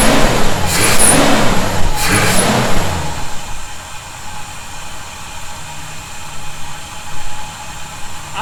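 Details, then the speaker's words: 1971 Chevy C10, cold start after snugging up loose bolts suspected of causing a noise: short cold-start flare, then steady even idle, no whistle or hiss; owner will keep monitoring but definitely doesn't hear it now; normal idle. "we'll have to uh keep an eye on that as we do some other things and make sure I don't hear the noise I definitely do not"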